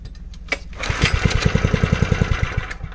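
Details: 1970s Honda G35 3.5 hp general purpose single-cylinder engine: thump settles after starting into an even beat of about three and a half per second, no knocks or misses.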